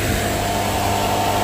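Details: NAVAC NR7 refrigerant recovery machine running on fast, recovering refrigerant from a leaking system: loud even motor drone with faint steady tone, no knocks or rattles; normal operation.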